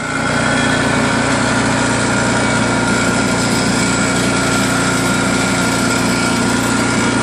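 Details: New Craftsman snowblower with Chinese PowerMore single-cylinder engine, after gummed carburetor cleaned and fresh gas added: holds a steady, even drone with no surging or misses; normal running after the no-start repair.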